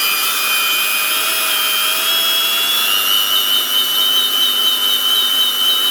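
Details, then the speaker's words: Old Makita 9501B angle grinder after new bearings and cleaned brushes: steady high whine that climbs smoothly as speed rises while grease spreads, no popping from the gearbox, no rumble or grinding. Normal run. "I'll get it thrown around thrown off to the sides and then you hear it the speed going up. in the main thing is you don't hear any popping noises coming from inside the gearbox."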